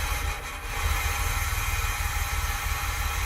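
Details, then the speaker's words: 1982 DeLorean DMC-12 with 5-speed manual, cold start, cold header confirmed by touch. Loud, uneven low chugging with irregular pulses; sounds terrible, then slightly better but hunting seriously. Rough idle, cause unclear, possibly partly the recording's audio. "and i don't know if that's just the the audio or or what but that just sounds terrible okay it sounds a little better now well so there's some serious hunting going on there"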